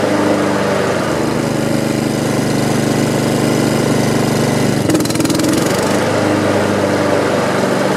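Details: Honda HRX217 mower engine, started after repairing an oil leak underneath the engine, to stress test it and check the clutch: steady even running at constant speed with brief clatter near five seconds; sounds healthy.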